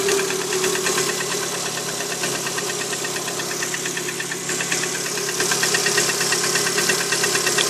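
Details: Lada Priora 126-series petrol engine at cold idle on a 10 °C morning: a sharp, regular metallic knock about three per second. Piston slap in cylinder four, which goes silent when its coil is pulled; the repair eliminated it.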